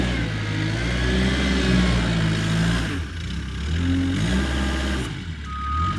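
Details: Kubota 520 hydrostatic wheel loader, tested after a wiring-harness repair for being stuck in low range. The diesel pulls steadily under load with the reverse alarm beeping and revs holding without bogging; reverse drive pulls properly.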